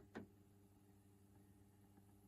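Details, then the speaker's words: Neostar CD/vinyl/cassette turntable's belt-drive motor after sewing machine oil was dropped in: soft steady low hum after a brief knock, much quieter than before but still slightly noisy. "isn't that quiet looking good it's definitely a lot quieter but it's a little bit noisy still but probably as good as I can get it for now"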